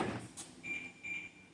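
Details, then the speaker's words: 2013 BMW X5 E70, parked and locked: short bursts of door lock actuator clunks keep firing on their own, only when near the driver's side, windows also closing; faulty locking control, cause not yet found. "did you hear that it's locking unlocking home on the tone now I'm here on the driver's side"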